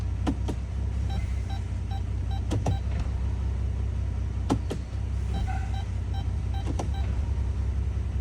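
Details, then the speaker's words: 2011 Chrysler Town and Country 3.6L after adding about a quart of transmission fluid, cycling gears at idle: steady idle rumble with soft periodic thumps. Mild engagements mean the fluid is near the correct level; a hard hit would mean low fluid. "when you're getting close to the right level, you will feel the transmission is just boom. When it's low, it will hit hard, just boom."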